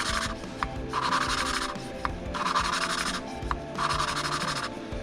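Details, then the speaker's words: New valves being hand-lapped with compound for a low-compression Yamaha Moto 4 YFM225 ATV: gritty rasping strokes in bursts about every 1.5 seconds, coarse at first and growing finer as lapping goes on. "when you put it right in and start grinding you can hear the grit right as you get going and it gets a little finer sounding as you keep"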